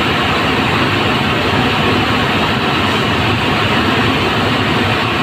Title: Roller bearing broken#shorts